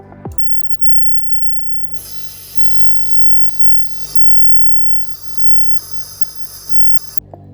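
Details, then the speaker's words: Ultrasonic treatment of molten aluminum to degas it and disperse nanoparticles for metal matrix composites: a harsh, steady high-pitched screech starts abruptly over a low hum and holds about five seconds; normal process sound. "visually nothing interesting happens but the process creates a unique and unpleasant screeching sound take a listen"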